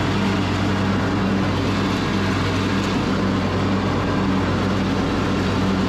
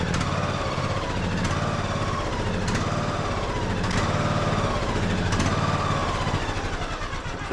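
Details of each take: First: Craftsman YS4500 riding mower, 21 hp single-cylinder, after fresh oil, air filter, third carburetor and new fuel filter: steady, even engine drone with no misses or knocks, holding speed smoothly; runs properly. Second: Craftsman YS4500 21 hp single-cylinder tractor: speed rises and falls about every second with a sharp pop at each swell. Fuel-related surging; the tank is to be drained and cleaned and the carburetor checked.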